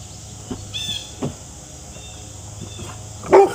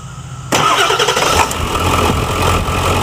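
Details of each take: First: Ford F-350 Super Duty 7.3L Powerstroke diesel after dual alternator install, heavy-duty tensioner and one overdrive pulley refitted: cranks, fires and settles into an even clattering idle with no belt squeal or chirp. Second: Ford F-350 Super Duty 7.3L Powerstroke diesel after dual alternator install with heavy-duty tensioner and 136" serpentine belt: engine starts and idles with a thin steady squeal as the belt slips on the lower alternator pulley; plan to refit the regular pulley.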